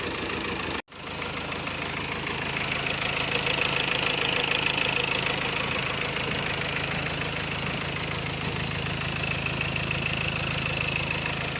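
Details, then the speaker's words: Ford Ranger 2.2 TDCi diesel after engine rebuild with all four injectors repaired, coolant filled: even idle clatter, no shaking or uneven knocks, no smoke; normal idle. "ያው አሪፍ ነው። አይንቀጠቀጥም፣ ምንም አይልም። በጣም ምርጥ ነው ድምጿ።"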